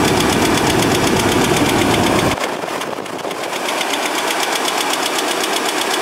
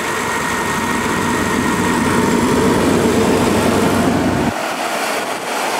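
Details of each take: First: Project junk Chevrolet S10 engine: a light, even top-end tick at idle that lingers as revs drop, before an engine flush. The owner first thought it was an exhaust leak but now doubts it; cause unknown. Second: Chevy S10 after GUNK motor flush, started after sitting two days: smooth, even idle with no top-end ticking; the earlier tick, once thought an exhaust leak, is gone, with good oil pressure.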